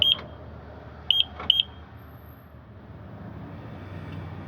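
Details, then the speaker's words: 1997 Toyota Celica alarm beeper, mounted on the engine-bay wire harness, sounding when its back housing is pressed: short, sharp high beeps, one then a quick pair; the beeper works normally. "i'm going to push on the back of this bad boy right here right on the back housing here the back of it there's your beeping"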